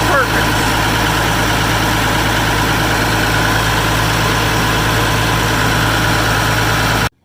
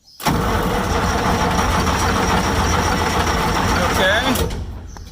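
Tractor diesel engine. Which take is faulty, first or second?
second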